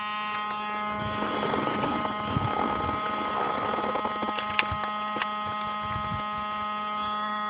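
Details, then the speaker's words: Saturn car with a constant low, fixed-pitch electrical buzz that starts when the battery is switched on and continues with the engine running; the source is unknown. "all right we'll go ahead and turn this battery on if you can hear it buzzing sound somewhere over here can't tell what it is and it still runs even when I turn the car on"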